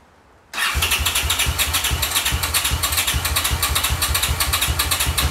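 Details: 1982 Honda CX500 twin, neglected for years, carbs cleaned and bench-synced with a welding rod: catches and settles to a lumpy, uneven idle of about two to three pulses a second that wants to die; carb idle problem suspected, cause unknown.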